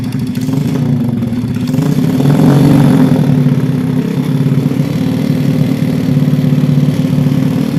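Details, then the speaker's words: Honda Vega R motorcycle engine at initial condition, smoking heavily: it idles unevenly with a rough, clattery noise heard from the cylinder head area. Teardown and inspection follow. "Oke cukup ya untuk kondisi awalnya seperti ini untuk berasap tebal banget Kemudian untuk suara kasar terdengar di are hit"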